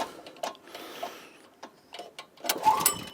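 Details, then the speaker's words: Troy-Bilt tiller repowered with a 6.5 HP 212cc Predator engine, on eight-month-old gas, choke on: recoil pulls spin it with a brief rattling whir but it never fires; spark plug suspected. "Doesn't sound like it's going to bit. No, I don't think it's going to start, folks."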